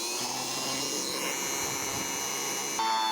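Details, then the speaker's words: Car starter from 2001, apparently modified, bench-tested on 12 V battery with jumper cables and wood-block load: high steady whirring holding speed without grinding; starter works well. "despite everything this St works really well it might turn this piece of wood into"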